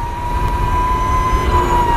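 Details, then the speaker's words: Energica EGO+ RS 2021 electric motorcycle cruising in town: steady high whistle over road rumble, coming from the chain final drive; normal chain drive whine. "alors vous entendez un sifflement en fait c'est essentiellement la chaîne on a une transmission par chaîne"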